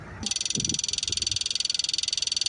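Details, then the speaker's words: John Deere 310G backhoe with newly installed electric fuel pump, key on: rapid, even, high-pitched clicking, the pump priming normally. "now you should hear this clicking and it should sound like this"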